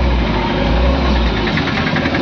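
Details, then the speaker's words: 2013 Mahindra Xylo D2 diesel with DTC P0117 (coolant temperature sensor signal range), check light on and temperature light flashing: engine rumbles unevenly with jerky dips and surges, loses pickup, stumbles and stalls while driving; coolant temperature sensor fault. "तो गाड़ी का pickup खत्म हो जाता है गाड़ी problem होती है तो ये लाइट आई ये लाइट बिलिंग करके चली गई अब गाड़ी में झटका मारना स्टार्ट कर दिया"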